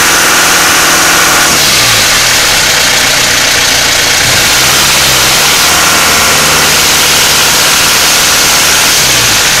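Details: Mitsubishi Pajero Exceed 2.8 TDI diesel: idle with busy rattling clatter on top, revs rising and falling twice; owner suspects timing chain noise, unconfirmed; engine noise.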